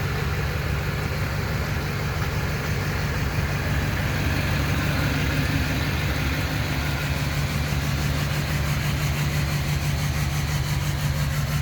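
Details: Duramax LMM diesel with cylinder 7 misfire: deep diesel clatter with an uneven stumble returning about twice a second in the firing rhythm; one cylinder misfiring.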